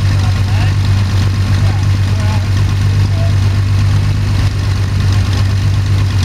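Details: Sonex homebuilt aircraft, Jabiru 3300 six-cylinder engine with Rotec TBI, about 50 hours, first engine start after throttle set a quarter inch and mixture full rich; EGTs 700-800F; steady even low drone, no knocks or rattles, smooth healthy idle before shutdown.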